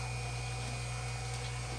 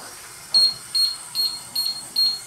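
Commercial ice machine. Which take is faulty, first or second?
second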